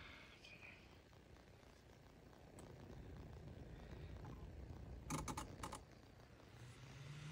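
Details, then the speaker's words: Squeaky bathroom exhaust fan after spraying with WD-40: small fan motor hums with a low, steady purr, no squeak or scraping; normal fan running. "see he's making a like really uh noise now it sounds really good now so we're gonna reinstall it"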